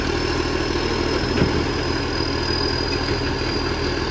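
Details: Diesel idling with rough, uneven puffing and ticking over the engine note; a large exhaust leak on a 2013 West Torrens garbage truck.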